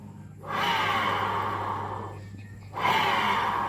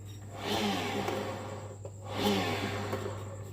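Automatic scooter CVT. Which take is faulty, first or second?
first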